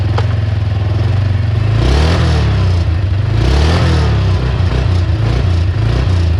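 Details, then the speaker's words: 2006 Can-Am Outlander 400 after sitting for years, started by pouring fuel straight into the carburetor: a strong, even single-cylinder thump rising and falling cleanly with two throttle blips, no misfire or clatter; running healthy. "how about that boys it does run the motor sounds super healthy"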